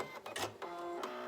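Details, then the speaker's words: Sewing machine stitching heavy folded bias tape on a surgical mask: short uneven bursts of heavy needle thumping as it punches through thick layers; machine labouring on thick material. "you can hear my needle thumping it really doesn't like this heavy bias tape"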